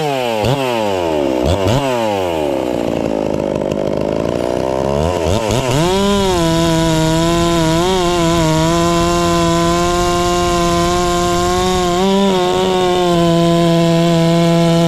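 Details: Ported Farmertec MS660 two-stroke chainsaw, newly tuned with extra muffler port and advanced timing: revs up, then holds a strong steady high pitch barely sagging through a hollow-centered log; normal cutting under load.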